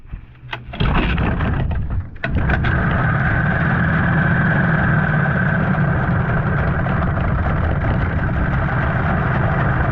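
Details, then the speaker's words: 15 hp Mariner outboard, unused over 2 years, after carburettor clean, on choke: short crank then catches into a lumpy, uneven beat; runs rough, owner worried about gearbox housing, telltale flowing. "Now my biggest worry is the gearbox. There's something going on with the housing. Definitely doesn't run smooth."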